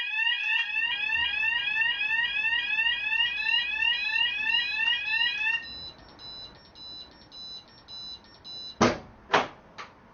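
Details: Freedor acoustic door closer being tested against a site fire alarm. Fast sweeping alarm tones about three per second, then a steadier tone and a few sharp clunks as the unit hears the alarm and releases the door.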